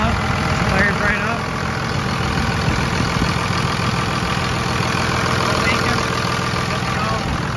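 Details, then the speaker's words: 2nd-gen Cummins diesel after a FASS lift pump filter change and injector line bleeding: settles into a steady, even idle with no stumbling, misses or surging; all air purged, no dash lights. "sounding great everything all the air is out of the system"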